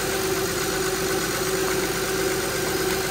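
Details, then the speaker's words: 2006 Honda Pilot 3.5L V6 after power steering pump replacement and bleeding by turning lock to lock: smooth idle with only a soft steady pump hum, no groan or whine; earlier noise gone. "do that a couple times and then that should be it you can hear it's quiet"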